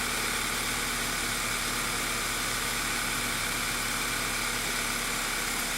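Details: 2009 VW Eos 2.0 TSI (engine code CCT), first start after replacing a detached rear main seal that caused a vacuum leak and lean misfires: steady, even idle, smooth low hum, no misses or hiss; normal idle, fuel trims being checked.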